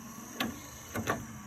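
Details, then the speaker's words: Triumph TR7 pop-up headlight, after fixing earth and connection faults, touching blue and slate wire: sharp relay click then short whirr of lift motor; normal pop-up headlight operation. "Now the equivalent of the blue and black is this blue and slate, and what happens when I do that is you hear the relay go, but this also goes."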